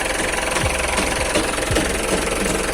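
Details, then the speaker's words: 2014 Mitsubishi Pajero Sport Dakar 4x2 automatic with VGT turbo diesel, under 100,000 km, service record, AC off, recorded at the engine bay: even diesel idle clatter with steady, regular tick and no misses or odd knocks. Sounds very normal, no leaks. "Coba didengar suaranya nih mesinnya. Sorry kalau agak ribut, tapi yang jelas masih sangat normal bos. Kedengarannya masih sangat normal, tidak ada rembesan-rembesan juga nih kalau kita lihat."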